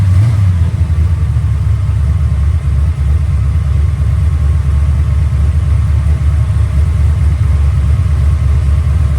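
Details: Ford Mustang 408 stroker V8 after the starter was reinstalled. A deep, heavy churning while cranking; the starter still drags, though less than before. The owner is considering different-thickness starter shim washers.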